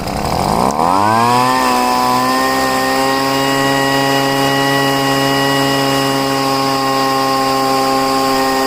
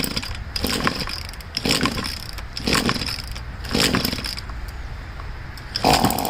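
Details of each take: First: Poulan leaf blower, first start after five months' storage, after pouring gas into the cylinder, heavy priming and richening the high-speed mixture screw; starts and climbs to a steady, even high drone with clean pitch: normal running. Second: Poulan two-stroke leaf blower being winterized, tank drained, run on choke switched on and off: small engine coughs and sputters in uneven bursts about every second as carburetor and fuel lines run dry of gas before storage.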